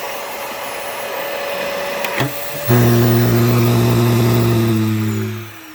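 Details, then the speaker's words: Fantom Cyclone XT vacuum cleaner running: steady motor roar with a sustained, wavering whistle like a deflating balloon, from a worn valve slipping out of place and leaving an air gap; vacuum air leak. "You can hear that valve like how it keeps. It's like it's falling apart, and it keeps slipping out of place. So there's like this air gap that causes it to whistle, or not whistle, but whatever that like balloon deflating kind of noise is."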